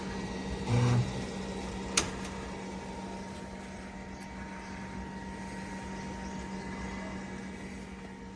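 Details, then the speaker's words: 1988 Juko ST (Super Turbo) PC XT clone with MiniScribe hard disk, restored and started up; steady fan hum with faint high drive whine, sharp click around two seconds, then even running, a healthy boot. "Now to turn it on and see if it fires up."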